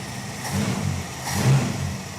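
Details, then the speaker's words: Dodge Charger with Chrysler 5.2 L small-block V8, Seafoam in crankcase: two quick throttle blips rise and fall smoothly with deep even burble, no knocks or ticks; sounds healthy. "Yep. Yep. It sounds nice. Is it a V8? Yeah, dude."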